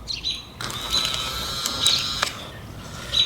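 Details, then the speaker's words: 2005 Acura power window motor, removed from the door and tested on the bench with 12 volts, whirs with a steady high whine, running smoothly; motor works, so the fault lies elsewhere. "all right the motor is working and uh yeah it's not pretty scientific but at least it'll can be an idea but see that oops so the motor is working uh"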